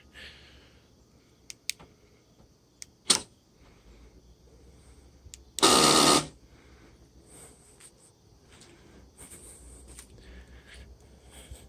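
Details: 2017 Honda Civic Si: harsh, loud half-second buzz each time the car is unlocked, coming from the fuel door, caused by a faulty fuel door lock solenoid.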